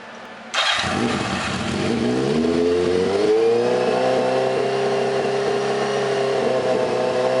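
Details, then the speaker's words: Spare Cross Kart engine that sat for years, test-run with only one mounting bolt in, choke hooked up and muffler fitted: catches on the first pull, revs climb smoothly, then settles into an even, steady run with no knocks. "listen how good that thing sounds who knows how many years this engine has sat"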